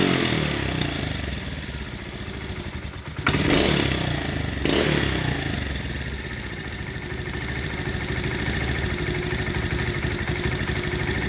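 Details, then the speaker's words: 1971 Honda CT70 at idle after starting on one kick: small single-cylinder putter with an uneven beat and occasional dropped strokes, seeming to skip a little, with slight valve ticking; valves unchecked, cause not found. "you can hear them valves ticking a little bit i didn't check those because i wasn't part of the deal but uh sounds like it's skipping that a little bit"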